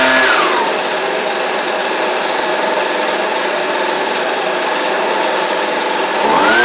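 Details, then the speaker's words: Husqvarna 125B two-stroke blower, previously non-running, first run after fitting a Hipa carb kit with no carb adjustment: high buzz rises briefly, holds steady, climbs again; runs smoothly, pretty good out of the box, tiny adjustment possible. "could have, you know, tiny bit of adjustment that could be done with it, but all in all, that's pretty good out of the box."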